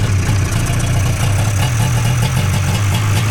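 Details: Two-stroke snowmobile idling after a full-choke start, choke then turned off: low buzzing idle with gently wavering beat, no misfires or knocks; runs cleanly and healthy.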